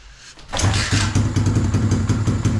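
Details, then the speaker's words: Hawk 110cc ATV or RFZ 125cc being serviced, kick-started with the gas tank not yet secured; catches and settles into a steady, even single-cylinder thump with no knocks or misses; normal running. "Oh, okay. Take the Jo. Oh, that sound good."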